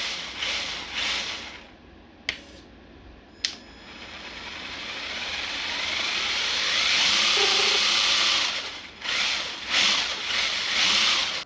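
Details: Traxxas TRX-4 Ford Bronco RC crawler after maintenance of motor, gears, portal axles and diffs: light, even gear whir climbs in pitch as it speeds up, then settles; no clicking or grinding, drivetrain sounds healthy.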